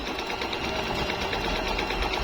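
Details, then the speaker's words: Jaguar MP-006 multi-stitch sewing machine, good as new, fine straight stitch: fast, even needle chatter at steady speed, no knocking, grinding or catching; smooth, very quiet, healthy. "smooth po ng tayo. Tahimik na tahimik po. Hindi po siya maingay."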